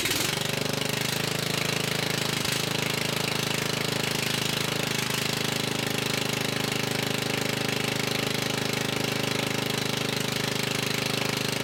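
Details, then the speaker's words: Murray riding mower single-cylinder engine, long unused, previously stalling and smoking badly, running with exhaust removed to check the cause; fresh gas and new fuel lines; sharp rapid even loud popping from the open port, still smoking a little. "I went ahead and removed the exhaust because it was smoking so bad and I want to try to see if that was a cause for the engine to stall out"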